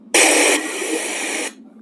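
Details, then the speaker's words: Maxon 4.1 home theater under repair, some speakers dead: small test speaker on the output pin gives a loud, even hiss that starts abruptly and cuts out cleanly after about 1.5 seconds; this channel works normally. "तो इसको मैं यहां रख लेता हूं तो इस पर तो आ रही है और इस वाले पिन पर भी आना चाहिए"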